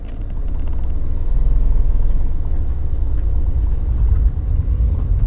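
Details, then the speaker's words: Mini driving off in first and second: deep drivetrain rumble with a loose rattle underneath that starts immediately in any forward gear but is absent in reverse, ruling out the flywheel; suspected failed bearing on a forward gearbox shaft. "Every time, straight away. As soon as you go into any forward gear, you've got to rattle."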